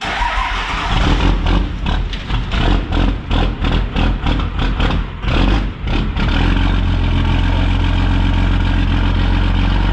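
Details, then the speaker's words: 12-valve diesel truck known not to idle. Clatter with rhythmic surging revs that rise and dip before being held at a steady speed; it won't settle into an idle. "You can do that. Yeah, remember it doesn't idle."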